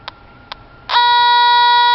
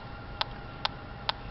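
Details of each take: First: TIF 8900 combustible gas detector at the furnace gas line in a townhome HVAC closet: two short ticks, then a loud unbroken high beep as it maxes out at the top connection. Gas is leaking there, with gas smell in the closet; the bottom connection is normal. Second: TIF 8900 combustible gas detector at the furnace gas line in a 4th-floor townhome HVAC closet: slow, evenly spaced resting ticks about twice a second over room hum. The lower connection reads nothing, which is normal with no gas present.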